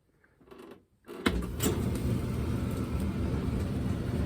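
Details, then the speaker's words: Propane dryer being set up off-grid, first test run after leak-checking the gas connection (no bubbles): a click, then steady low motor hum and drum rumble; the dryer starts and runs normally, not yet blowing warm air. "well it turned on the question is it's blowing out warm air not yet"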